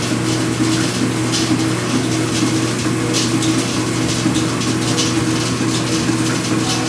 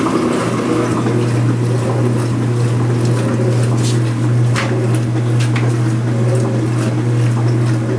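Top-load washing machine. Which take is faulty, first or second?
first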